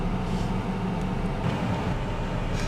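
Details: 1998 Chevy S10 4.3 Vortec V6, warm idle after intake gasket replacement, heater on high to purge air from coolant, no more burning-antifreeze smell; smooth steady low drone, no ticks, knocks or stumbles; healthy and even.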